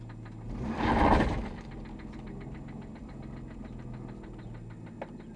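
After a brief rev, a steady, sharp knock taps in time with the idle, deep in the bottom end: a classic rod knock.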